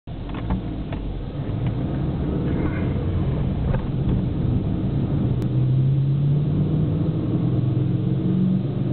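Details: Fiat Punto HGT while driving: low steady hum rising over road rumble; owner suspects wheel hub bearing noise, unconfirmed.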